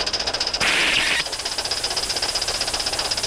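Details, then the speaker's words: Accucraft/Aster USRA Heavy Mikado 1/32 live-steam locomotive, not yet run in, hauling 16 cars plus caboose: quick exhaust beats, then safety valve lifts about half a second and snaps shut cleanly, reseating around 60 psi; normal lift and reseat, improving with running. "starting to pop more frequently and not last as long. Although that time was a little bit long, but still, that reset at about 60 pounds, and that's pretty darn good."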